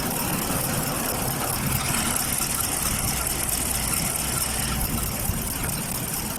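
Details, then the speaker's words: Chevrolet Caprice V8 idling roughly with uneven, stumbling low pulse and vibration; multiple misfire, no spark from bank 1 coil, later traced to a cut ground wire at the back of the engine. "there's an engine [Music] vibration it's a V8 engine there's a no spark in the bank one coil"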